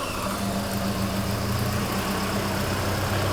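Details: Volvo 240 with twin Dellorto 45 carburetors, started after repairing a twisted rod, carbs vacuum-balanced: low, even idle hum with a steady beat and no stumbling or hunting; carbs balanced and engine healthy.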